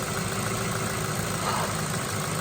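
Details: Ford Focus with a head gasket leak pressurizing the cooling system, after Steel Seal, idling after a four-mile run: smooth low hum with no misses or knocks. Top hose now soft, temperature gauge just below halfway; normal idle.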